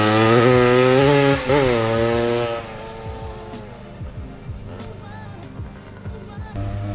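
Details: 1979 Yamaha IT175 two-stroke dirt bike after carb rejetting to factory jets, ridden: raspy chainsaw-like buzz climbing hard through the revs, then rattly crackling trail-speed run; pulls cleanly, though the owner finds midrange slightly buggy with some lag around quarter-to-half throttle.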